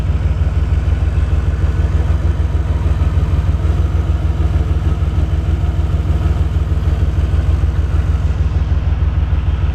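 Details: DeLorean engine warmed up, idling low and lumpy with an uneven pulse about three times a second while a dwell meter is hooked up; rough idle, cause not yet found.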